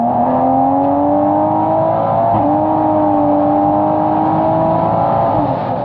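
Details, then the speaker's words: Mark 5 Supra, modified, stock automatic transmission near its limit (about 600 wheel torque): engine note climbs under hard throttle, then revs flare without matching pull; transmission slipping, which can eventually fry the clutch packs. "if you guys didn't know the sock transmission is basically just good for like 600 wheel torque and at that point you start experiencing slipping on your transmission so I do have a clip of that I'll insert it right here so you can hear what that sounds"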